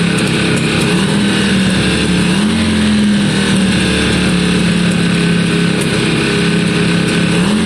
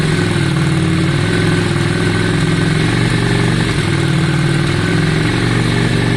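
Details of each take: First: 2002 Yamaha Virago twin after carb cleaning and new coils: steady, even idle with both cylinders firing and an odd faint pop or spit every few seconds; much better, but slight spitting remains, as with the old coils. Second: 2002 Yamaha Virago V-twin after carburetor cleaning and fresh fuel: steady, slightly loping idle with even firing and no stumbling; sounds much better than before.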